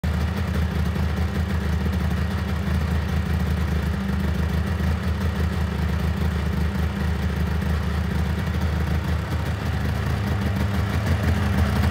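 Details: Engine started after checking coolant levels: steady, even drone with a deep low hum and no knocks; idle seems a touch high, owner unsure why.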